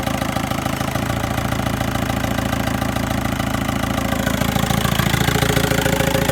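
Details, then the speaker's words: VW 1.9 TDI diesel at idle after replacing the alternator overrunning clutch pulley: steady even clatter with no squeal or chirp as the steering wheel is turned; the earlier whine, caused by the alternator clutch, is gone. "Дивіться, зараз крутимо, ніякого писку немає. Юра, покрути рулем!"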